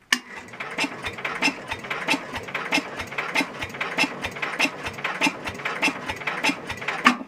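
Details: Super 12 hydro small engine, cold start after sitting, possibly never fueled; owner suspects empty tank or needs more throttle. Slow even cranking about 1.5 pulses per second, never catches: cranks but won't start, cause unclear.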